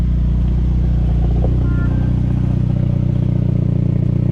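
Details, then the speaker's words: 2002 Saab 9-3 convertible idling, exhaust recorded from underneath: steady idle with rhythmic puffing tick about three per second; exhaust leaking again at cracked clamp, before readjusting. "It's leaking again right there. Yeah. Cool down, and then we'll try to address that."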